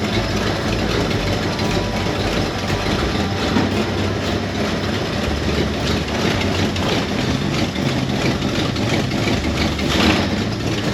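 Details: 1970 Ford Torino GT, 351 Cleveland V8, idling after first start on revival: deep steady loping idle, no knocks or misses; runs smoothly.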